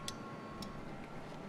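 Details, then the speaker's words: Energizing relay 3 on a CNI UR-EIO/C 8-relay output board (DIN rail) closes its normally open contacts, 0.2 ohm on the meter: two crisp clicks over faint hum, normal relay click. "let's energize that relay now relay 3 is closed we have point 2 ohms in the meter"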